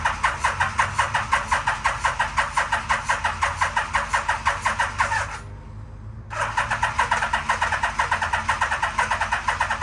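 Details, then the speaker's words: 1987 Yamaha Venture Royale 1300cc motorcycle, long-stored barn find, carbs just reinstalled: steady rhythmic starter cranking, a short pause, then more cranking that never catches; cranks but no start, no fuel delivery because the fuel pump is unplugged. "I want to see if it's actually spraying any fuel it's not I can see see it cuz it's not hooked up right there"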